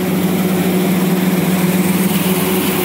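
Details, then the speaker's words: Refrigeration condenser fan motors: steady rough whir with a constant low hum and grainy roughness from dry, worn bearings. All are noisy; one fan is not running, possibly a thermostat. "kind of tell it's a little noisy. They're all noisy, actually."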